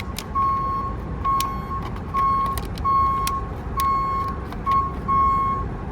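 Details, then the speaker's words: Garbage truck idling with PTO engaged: alarm beeps about once a second and a fault light shows because the packer blade isn't fully closed; the tailgate sensor isn't touched; a can or magnet at the sensor stops it. "I have the alarm going off and that's telling me that the blade is not completely closed."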